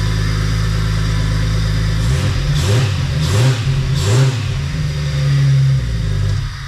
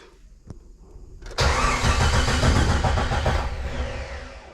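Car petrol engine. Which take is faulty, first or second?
second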